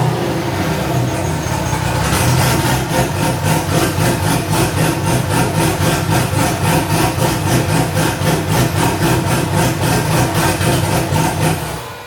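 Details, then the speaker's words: First run of a newly LS-swapped, cammed wide-body C4 Corvette (no cat, needs a proper exhaust): after catching, it settles into a loud, even chop of about 4 beats per second and gets smoother near the end. A healthy idle; only a tiny coolant drip was noted. "It was getting smoother even near the end. You know, starting to idle nice. Nice little chop."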